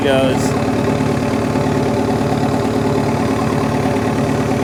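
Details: Dozer idling after replacing failed alternator (pulley had play, had been overcharging above 15 volts then died), gauge now in green: steady even diesel idle, no misses, knocks or squeals; healthy.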